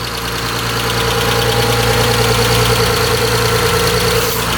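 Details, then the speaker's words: Mitsubishi Eclipse petrol engine idling steadily after new injectors and timing belt work; vacuum leak (intake-manifold-side injector O-ring on cylinder five) fixed, no more loud hiss; quieter tapping still heard, owner hopes normal. "lot quieter i don't hear that leak i heard before it's really loud"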